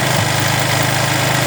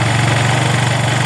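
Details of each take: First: Engine during carburettor tuning, after turning the screw to find the right point: even, settled idle with a steady low beat, no hunting or stumbling; this setting runs best. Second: Engine during carburettor tuning, screw being turned about three turns to find the right point: low drone with slight rise and fall, idle still hunting and not yet set.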